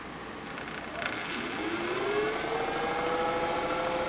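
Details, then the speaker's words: Freewing 4258 580kv brushless motor (P-51D 1450mm) after replacing main bearings suspected damaged in a prop strike with MR685ZZC: clean whine rising in pitch on spin-up, no knock or rattle, much less noise and vibration; old bearings most likely bad. "And there's hardly any noise, so it says that the bearings were most likely bad. So make it a little bit higher. There's less noise and there's less vibration to the front."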